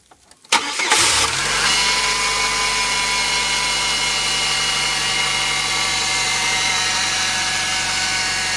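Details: 1999 Chevy Cavalier, just fitted with a new Exide battery in a snowstorm: brief starter whir, then the engine catches cleanly within a second and settles into a steady, even idle; it starts fine.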